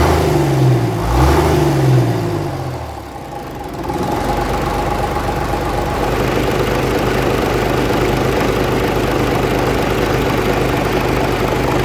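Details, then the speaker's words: 1965 Gardner 6LXB 180 six-cylinder marine diesel on a temporary cooling system, test run after restoration following failure at 80 hours: settles into a steady, even low thrum after the start, no knocks or misses; healthy running. "Okay, so we've had the engine running for about 2 hours now, and I've just stopped it."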